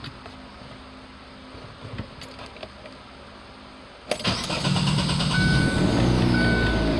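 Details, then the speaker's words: 2009–2011 Chevrolet Aveo, recently switched from conventional to full synthetic oil. A short crank catches cleanly into a steady idle; the engine keeps turning over until it starts, by computer design: a normal start. "Now you heard the motor kept turning over before she started. Well, I found out the day I bought her she was doing that, but it's designed through the computer to do that, so you don't have to sit there and hold the key to crank it."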